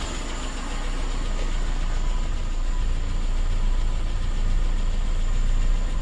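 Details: Suzuki SJ413 1.3L engine with a low, smooth idle rumble building slightly as it settles, no misses or knocking, after fitting a new Toyota 3K carburetor and carb-base gasket and resetting ignition timing to cylinder one; normal idle.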